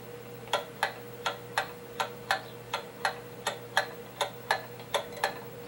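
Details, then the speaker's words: Pendulum clock after bending the crutch slightly counterclockwise to the right: crisp ticks at about eighty per minute but alternating long and short gaps, still out of beat, crutch may need more bending. "still doesn't sound quite right we may have to bend it more"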